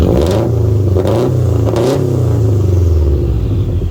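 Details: Subaru after tune, still in ECU idle learning, turbo inlet (Torque Solutions) now seated properly: three quick throttle blips rise and settle to smooth steady idle, no stumble, rattle, hiss or vibration; normal idle and revving.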